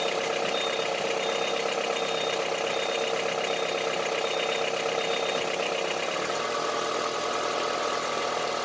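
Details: Honda CR-V III 2.4 idling: sharp, regular ticking knock of two to three beats a second over the idle, harsh like a diesel; cause unclear.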